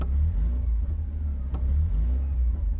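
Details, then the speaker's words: Porsche 944: low, even rumble idling smoother than before, rising and falling cleanly with light revs, no stumbles or misses. "And I'm sitting here now just listening to the engine, and that is 100% idling nicer than it was. That's way smoother. Let's give it a bit of a rev."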